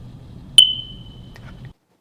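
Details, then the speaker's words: Smoke alarm chirp: a single short high chirp over a quiet hum, the low-battery warning meaning the smoke alarm's batteries need to be replaced. "the first was that chirping noise in the kids video it means that the batteries need to be replaced the smoke alarm"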